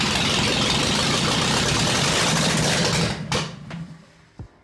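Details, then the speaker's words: Junkyard Zaporozhets replacement engine, first startup after new distributor and cap with missing center contact replaced: loud, steady, even firing for about three seconds then shuts off, running cleanly with no knocks; normal running. "fired up loud as hell but it was cool now that we know it runs"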